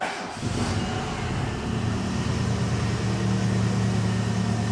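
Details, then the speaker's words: Renault Megane 2 1.6 automatic after major engine repair, old tensioner and drive belt still fitted: short start then steady, even, smooth idle with no knocking or misfire; engine runs well, normal idle. "дешёвого сам мотор работает отлично здесь есть ещё нарекания мы немного ещё не доделали"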